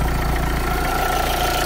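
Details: Renault Clio II dCi diesel after alternator pulley repair: steady idle with even light clatter and constant faint whine above, no squeal or rattle from the belt; normal diesel idle.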